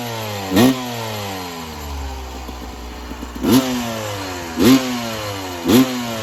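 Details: 1996 Yamaha YZ250 two-stroke after carb tune-up with factory stock carb settings (previously weird low-end idle, suspected pilot jet), still a little cold at about 13 degrees: crisp rev blips about once a second climb and drop cleanly from steady idle without stumbling; healthy.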